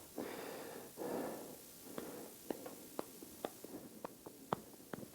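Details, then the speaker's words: 2006 Toyota Camry LE 4-cylinder original strut mount, removed and worked by hand; dry irregular clicks and ticks as bearing moves in its race; worn strut mount bearing with softened rubber bushing causing the clacking noise while driving. "hear that that's the bearing and if you look closely you can see it moving back and forth inside the race so the the softened rubber bushing together with this worn out bearing was making the clacking noise that was driving me absolutely crazy"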